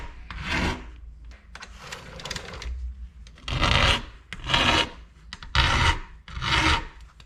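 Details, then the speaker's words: Hand-filing a Husqvarna chainsaw chain: even rasping strokes about once a second, each grinding smoothly all the way across the tooth with little force needed; the file is sharp and cutting cleanly. "and you notice how smooth that sounds how it's got that grind sound all the way across that's that's a good sharp file"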